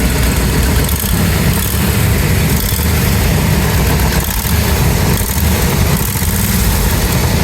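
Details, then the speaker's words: 1989 Bentley Mulsanne S, 6.7-litre fuel-injected; loud rough chuffing idle with harsh low puffing on each firing pulse and exhaust smell; exhaust blow, location unknown, possibly the manifold. "You might be able to hear the issue straight away. It's got an exhaust blow coming from somewhere, maybe the manifold."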